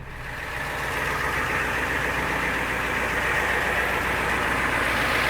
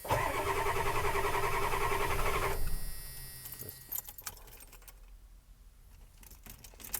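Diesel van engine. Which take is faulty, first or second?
second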